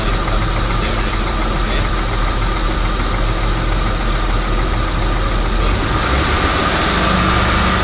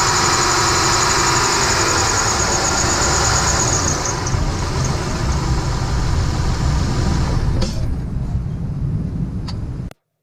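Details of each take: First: Steady, even engine idle with a constant hum and no squeal or chirp from the belt or alternator pulley. Normal idle. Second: squeaky belt or Pulley? How to fix the alternator squeaky pulley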